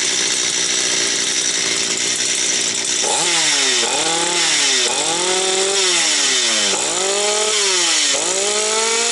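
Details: Stihl 250 chainsaw, about two years old, repaired after a no-start and warmed up: high buzzing two-stroke drops in pitch under each cut and recovers cleanly between them; pulls evenly, running fine.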